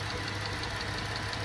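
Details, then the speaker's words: 2012 Dodge Charger, 220,000 miles, check engine light and misfire complaint, running after compression test with parts reinstalled: steady, even idle with a smooth low hum, no stumbles; misfire not apparent at this moment, motor mounts suspected of disturbing a connector. "all right guys I have the engine running I got my cars back in it's running as you can see I"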